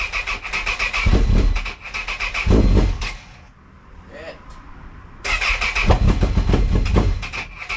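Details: Honda CB1000R, hard starting: two long bursts of fast starter cranking with a gap between them, and the engine never settles into a clean idle.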